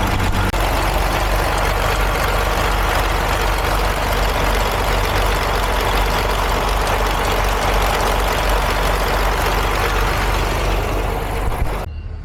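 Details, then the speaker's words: 2017 DAF MX-13 530 truck diesel, cab tilted, revs locked at 1000 rpm, customer complaint of ticking: fast clicking tied to engine speed; valvetrain ticking from worn camshaft lobes and followers and a loose cam bearing. "Customers complained of a ticking sound at about 1000 RPM."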